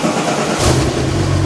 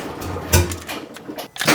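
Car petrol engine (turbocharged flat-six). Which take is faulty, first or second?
second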